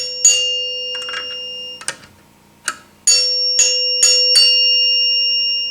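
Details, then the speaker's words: 1974 Gottlieb Magnetron EM pinball three-chime unit, after loosening the overtightened plunger nut a hair: early strikes die short and dull, then later notes ring clear and sustained; chime now rings correctly. "Now you get a ring out of it. Tighten it just a little bit. There we go."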